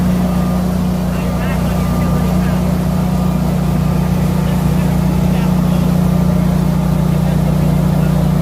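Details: Newly installed Generac whole-home standby generator in Ohio, startup test after simulated power outage, AC load-shed delay fitted: constant low lawn-mower-like hum, even tone, running smoothly; normal running.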